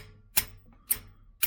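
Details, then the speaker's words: 1967 Mustang 390, chasing a lifter tick: brass hammer tapped on valve tips, three crisp ringing taps about two a second; the hammer bounces back, showing this valve is not stuck. "that valve's not stuck and as you can see it bounces the hammer back"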